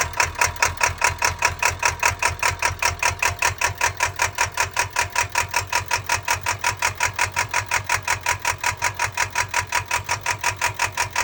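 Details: Ford 7.3 Power Stroke diesel school bus after draining about 62 gallons of diesel, filling with 46 gallons of gasoline, flushing and new filters: steady hard chuffing, two to three beats a second, uneven-edged; rough running.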